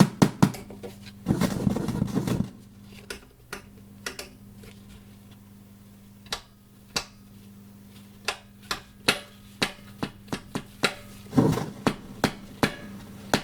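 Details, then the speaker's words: JVC VN-300 vintage amplifier/receiver powered on with no audio signal connected, which also crackles on the volume control and input selector: irregular loud sharp pops and crackles over a slight steady hum; amplifier crackling fault. "O, jest faktycznie głośny trzask. No te trzaski są niepokojące generalnie."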